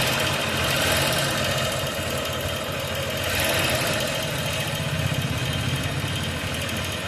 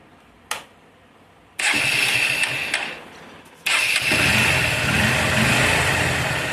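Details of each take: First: Motorcycle engine at idle: fast, light ticking about four a second over a steady idle, tappet noise from excessive valve clearance; tappets to be adjusted with a feeler gauge. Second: Motorcycle right after a tappet (valve clearance) adjustment: starts on the second try and settles into an even idle with no ticking from the top end; healthy normal idle.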